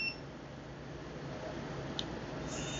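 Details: Stacyc 12/16 eDrive kids' electric bike after replacing a bad throttle (and fuse): a short electronic chirp on power-up over quiet room hiss, with no error pattern. The controller powers on normally and works fine.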